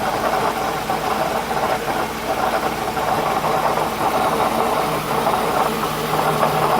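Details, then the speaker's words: 2008 Toyota Highlander at idle, nasty constant fast metallic rattle heard from the bottom, unchanged pitch; stethoscope traced it to the belt tensioner pulley, which needs replacing; belt tensioner pulley rattle. "what's up YouTube I got a nasty noise rattling noise coming from my 2008 Toyota Highlander"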